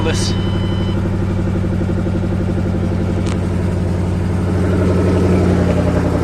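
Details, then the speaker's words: 2008 Ford Mustang GT (S197) V8 donor engine with 75,000 miles, the replacement for the noisy original; steady, even idle with smooth deep exhaust beat, no knocks or misses, sounds perfect. "so we got our donor car with a no 7gc this motor has 75,000 miles on it see sounds perfect"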